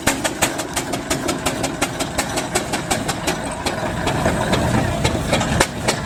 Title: Traction Engine under Heavy Load nearly stalls on Hill Climb